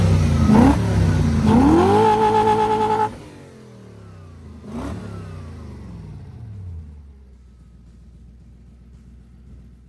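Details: Toyota 1UZ V8 revived after sitting a few years, after 10:1 fuel/trans oil mix: revs up cleanly and winds down evenly, no stumble or popping; misfire gone, running smoothly.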